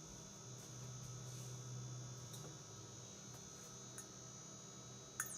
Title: Frigidaire FGIC3066TB Electric Induction Cooktop - High pitch, loud noise !